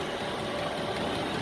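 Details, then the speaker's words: 8 kW 12 V Chinese diesel air heater in a workshop, fed at 12.5 V to stop it switching off: a loud, steady, even roar on its highest setting with no surging or breaks; burning cleanly and running normally. "you can hear it it's quite loud i've got it on the highest setting at the moment"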